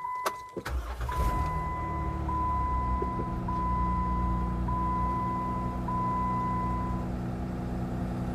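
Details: 200,000-mile Jeep Wrangler JKU, cold start before SeaFoam treatment: petrol engine cranks and catches quickly, then settles into a slightly uneven rough cold idle under a repeating warning chime; owner reports hard cold starts.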